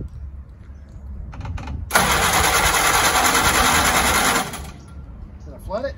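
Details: Willys L134 flathead after a head gasket replacement for coolant in the exhaust: the starter churns steadily for a couple of seconds but the engine doesn't catch; cranks without firing, apparently not getting fuel yet.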